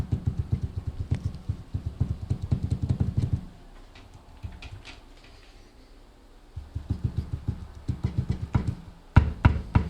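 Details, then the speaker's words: Steering rack, subframe and its bolts confirmed in place, still knocking again after the rack was taken apart: bursts of dull, uneven clunks with quiet gaps between them, coming from inside the rack itself. "вот мы разобрали рейку вот оно стучит опять"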